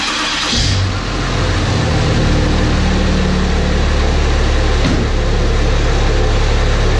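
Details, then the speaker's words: 1000 hp 6.7 Cummins Dodge Ram drag truck started after finding a loose flex plate bolt, with the torque converter bolts out; smooth deep steady diesel idle with no knocking or clanking, sounding as it should. "well that's more of how it's supposed to sound"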